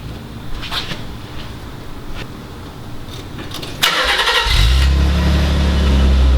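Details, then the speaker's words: Nissan 300ZX cold start: cranks and catches, then a lumpy, uneven idle with a low rumble, stumble and exhaust popping. O2 sensors already checked. Cause of the rough cold idle not yet found; car booked into a shop. "so if you guys could not tell from that you could hear like a little bit of a rumble so that's how you'd notice it was a rough idle"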